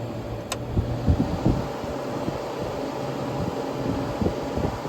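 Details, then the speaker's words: Mid-1970s Amana 5000 window air conditioner with aluminium case, two-layer evaporator and metal fan blade, running: steady low hum with strong air rush and light occasional ticks; cooling normally, just louder than 1990s units. "I will say this is definitely not as quiet as the 90s that we have."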